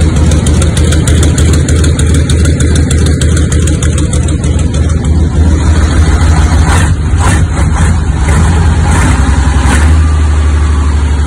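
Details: 1976 Tatra 813 V12 diesel truck, first start after about 20 years sitting, cylinders and pistons cleaned, damaged parts replaced: deep steady even rumble, no knocks or misses, normal idle.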